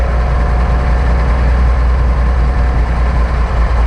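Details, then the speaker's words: Old Lull forklift not driven in years, running after filing the points, cleaning the carb and replacing the clogged fuel filter (the actual problem): a deep, even rumble with no knock or misfire, normal running. "I don't think this thing's ever run that good."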